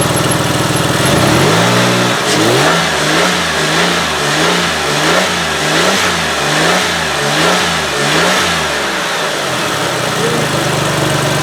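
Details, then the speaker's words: 2005 Ford Freestar 3.9L after an engine swap and a crank-no-start fix: a long crank, then it catches into a lumpy, hunting idle from a vacuum leak where the brake booster vacuum hose fitting had fallen out, likely pushed by the wire loom. "so it looks like this vacuum hose fitting for the brake booster had fallen out"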